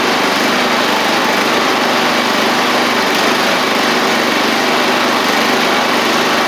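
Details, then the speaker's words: Murray 24-inch riding mower's Briggs single-cylinder engine, revived after water in fuel and rust, with motor treatment added to the tank, running with no load: steady, even buzzy drone with a tiny surge; runs normally. "hopefully I mean it's still running good and you hear a tiny surge but remember this doesn't have any load on it right now"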